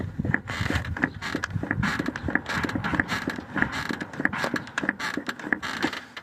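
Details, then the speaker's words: Toyota Sienna: rhythmic creaking clunks about every two-thirds of a second as the front strut is rocked, from a worn strut mount bushing; strut still damps, and it makes this noise over uneven streets. "Tiene amortiguación, sí, pero tiene ese sonido. Y cuando ustedes están manejando, escuchan porque el vehículo a la llanta se va moviendo, se va moviendo en la calle, va haciendo esto porque las calles no siempre son parejos."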